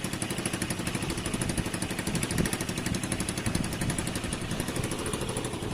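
Quick, even popping from a small single held at a steady speed, no knocks or rattles standing out; runs healthy.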